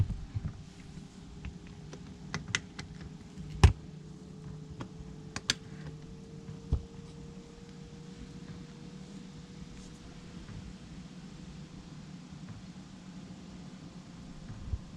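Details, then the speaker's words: Planar 44D diesel heater in closed Alubox, combustion burner starting to fire up: soft steady low rumble with hum rising in pitch and sharp fuel-pump clicks; running normally. "so that's what it sounds like now the combustion burner is starting to fire up"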